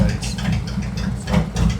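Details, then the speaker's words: Warm idle at 180°, ECM entering operating phase: 2018 Harley-Davidson Road Glide, Milwaukee-Eight 114, new Cycle-Rama CR480MT cam, ThunderMax auto-map tune, before test ride. Previously ran hot. Deep, even loping V-twin beat, no knocks or ticks; healthy. "All right, it reached 180° now. Closed loop correction will shut down because it's going into a different phase. It's going into the operating phase."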